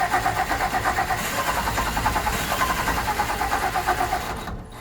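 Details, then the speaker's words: 1964 Olson Kurbside stepvan, 223 Ford inline-six, first start attempt after sitting 29 years with fresh fuel and spark: starter turns slowly and unevenly, about three pulses a second, then drags and dies away; battery running flat. "he's tired he is trying come on uh-oh we run out of battery all right try her again come on just don't have enough battery"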